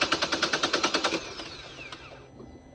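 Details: Engine cranks in quick even beats, roughly nine per second, then spins down without firing; crank, no start.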